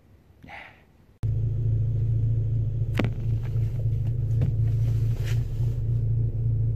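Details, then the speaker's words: Car exhaust after the pipe was welded and reattached to its hanger, which stressed the rear box: loud deep droning rumble with a rough pulse; holes now blowing all around the rear silencer joint; exhaust leak at rear silencer. "unfortunately all that did was apply more pressure to the back box which is now blowing holes all around its joint"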